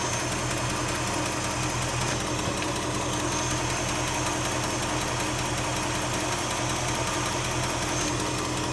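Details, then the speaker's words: 1967 Mercury Cougar at idle: a fast, sharp tick with a raspy edge, loudest at the exhaust manifold, with black carbon at its edge. Exhaust is leaking past loose manifold bolts. "That one's really loud. At the exhaust. Yeah, that's it. Oh, that might be a little bit of black carbon right here."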